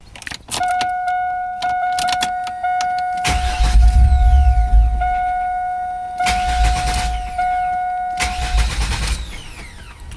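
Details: 1998 GMC Jimmy no-start after warming up: starter spins the engine in repeated bursts but it never fires; spark drops out when hot, starts after multiple attempts once spark returns.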